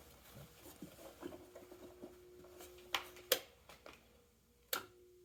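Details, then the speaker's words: Welch vacuum pump switched on but producing no vacuum, having just shut itself off: faint steady hum with no running rhythm, motor energised but not turning properly. "Okay, we can hear it's humming, so that just means the motor's not happy."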